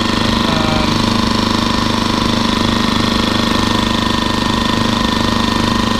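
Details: Champion 2000 W 73536i generator, after cleaning the carburetor idle jet and adding a fuel filter. A steady, even engine hum at constant speed with no hunting or surging; the previous surging is fixed and it idles normally.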